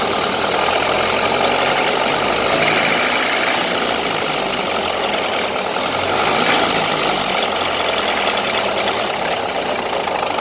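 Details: 1931 Ford Model A pickup engine at steady idle: regular light knocking, roughly three or four a second, throughout; troubleshooting has just begun and the source is unknown.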